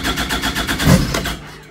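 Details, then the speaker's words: 2016 Yamaha Viper snowmobile, cold start after sitting months in the garage, before the ECM flash update, with long-standing starting problems: the engine catches with a few rough pulses for about a second, then sputters and dies. "So there you go, you could hear it kind of fire. I'm sure the second time when I crank it over, it'll fire and stay running."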